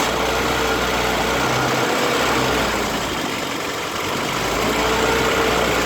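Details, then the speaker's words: 1972 MG Midget 1275 engine after new throttle springs were fitted near the heat shield: a steady, even idle with a smooth low burble and no rattle or tapping. "Now let's listen to the engine, now that the new springs are installed and all that gubbins has been done."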